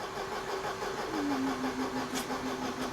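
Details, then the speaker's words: 1994 Mercedes W202 C220, long unused, cranked on the starter with spark plugs removed to gently build oil pressure: fast, even starter whine with no compression chugs. "là l'idée c'est de gentiment mettre l'huile en pression c'est pour ça que je l'ai mise en panne"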